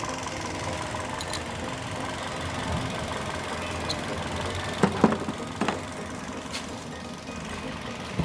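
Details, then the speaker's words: Toyota Yaris Bakpao after replacing a dead ignition coil that caused misfiring and shaking: a quiet, even idle with a few stray clicks nearby and no stumbles; the RPM is now stable. "jadi ini koil normal kita masukkan lagi aja Ya udah teman-teman sudah kita ganti koilnya ya jadi lebih stabil"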